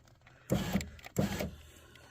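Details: 2003 Chevy Tahoe, passenger-side power window after window regulator replacement, test run up and down once clamp bolts are tightened: two short smooth runs with steady motor hum, no grinding or clicking. Window had been stuck down before; normal operation, repair successful.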